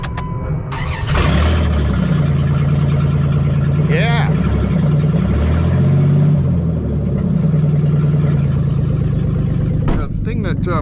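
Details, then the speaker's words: 2000 Dodge Dakota 3.9 L 6-cylinder with transplanted scrapyard engine, door open: deep, deafening unmuffled roar at idle with raw exhaust pulses; exhaust Y-pipe missing after the swap, awaiting replacement. "so yeah even though you can probably hear airplane going by overhead it's going to be dwarfed in comparison to the roar that comes out from under my Hood"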